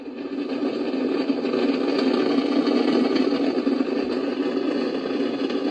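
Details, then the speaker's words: Icom IC-746 Pro receiver, fault about 10% of the time: steady hiss of static with no signal, S-meter stuck at full and squelch having no effect, unchanged with the antenna removed; cause unknown. "seems like about 10 of the time it won't receive any signal and i you notice i move the squelch all the way in either direction and this s meters just stays full strength like that and there's nothing but noise"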